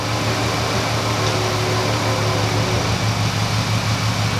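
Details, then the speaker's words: 2005 Ford Freestyle 3.0L V6, no codes besides P1000: rough, uneven idle in gear with irregular lumpy pulse about three beats a second; cylinder 4 dropping out, worse in Drive; faulty ignition coil 4. "so right there you can see the cylinder that's dropping out cylinder for okay we don't even have to do we don't even have to place it in and drive you do it to see if it gets a little worse but it's almost a dead mince at this point"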